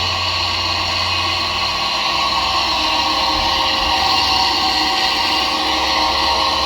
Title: Disturbing grinding noise from faulty dryer fan